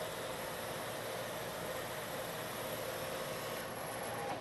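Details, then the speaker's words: Lathe turning a long thin part, now supported by a center drilled in the end. Same depth and speed as the earlier chattering pass. Steady, even cutting hiss with no ringing or chatter, giving a better surface finish. "the pass I'm making this time is the same in depth and speed as the pass that I just made this time you don't hear the"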